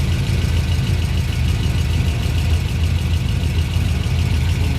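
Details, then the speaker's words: V8 with low-hanging long tube headers after replacing the passenger-side collector V-band clamp: deep, steady, even idle with no ticking or puffing, no paper movement, exhaust leak fixed. "No movement from the paper. Nice and quiet."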